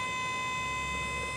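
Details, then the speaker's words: Diamond C trailer hydraulic dovetail held on the up button, rising past level: steady, even electric whine of the hydraulic pump holding one pitch; normal pump operation. "you keep holding the up button it's going to go all the way past level you'll hear the pump just past level"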